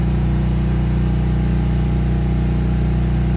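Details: 13-year-old Craftsman 5600/8600 W generator, 10 hp Briggs engine, running on one 5-gallon tank powering a 1500 W heater, heard through a wall about 12 feet away; steady low hum, no surging, normal under load.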